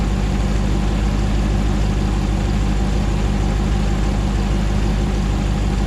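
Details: 2009 Hemi 1500 TRX4 auction truck, first start after months of rebuilding, about 87 psi oil pressure: steady, even smooth V8 idle warming up, no stumble, knock or tick, no longer jerking around like before; normal idle.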